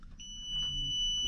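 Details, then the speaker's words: Daikin/McQuay two-pipe fan coil unit with emergency electric heat that is not heating. A multimeter on continuity across the heater switch gives a steady high beep, so the switch is closed and good; the heater element reads about 38 ohms. "we're going to check across this switch we're going to want to read continuity you he the beep we have it"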